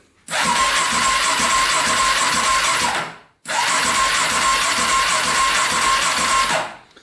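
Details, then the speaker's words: Cheap Polaris Predator 500 quad: two cranking bursts of about three seconds each, with even starter whine and steady turnover but no catch. The starter spins freely; compression not yet tested. Normal starter cranking. "So you can hear it crank over pretty good."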